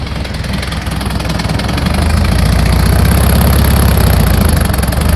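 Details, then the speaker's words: 1964 VW Beetle flat-four after new distributor, cap and plug wires, with idle timing set: steady, even low chug with a regular beat and no misses or knocks, a normal clean idle. "idle timing set"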